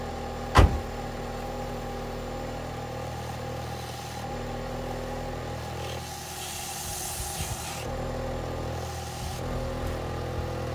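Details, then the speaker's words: 2006 Ford Fiesta ST after welding and refitting the back box and fitting a 4-inch stainless tip: a sharp start-up bang, then a steady low rumble with light throttle blips; an even, quiet exhaust with no blowing or rattles. "Quiet as a mouse now on tip over. Can't hear anything under that bonnet. I think I've done alright there with the exhaust notes."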